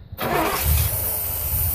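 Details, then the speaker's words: 1981 Trans Am 4.9L 301 Turbo, first start after a FiTech EFI install: catches quickly after a short crank and settles into a steady, even low rumble with no misses or knocks; healthy start. "Hey listen to that baby all right yeah around here we'll see what happens when I give it a bit of gas kill whatever you want to call it oh yeah good yeah it'll seems to be running right down and good"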